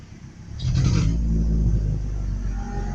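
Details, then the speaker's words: Truck with a new fuel filter, possibly low on fuel: low engine rumble surges briefly, then sags and bogs as load comes on in gear, and it wants to stall. The owner suspects a fuel injector or spark problem; not confirmed. "All right, so okay, what could be the problem when I put it in gear and I try to go, it's not like getting gas."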